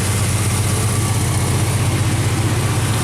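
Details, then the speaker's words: Engine on points ignition after tightening a leaking exhaust manifold joint near center cylinder: steady even low idle rumble, no puffing or ticking, running good. "oh yeah she's running good now pretty cool"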